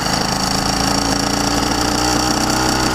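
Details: Two-stroke YD100 two-piece cylinder with PWK21 carburetor, being tuned: fast crackly idle with steady beat but ragged edge; runs, mixture still not right.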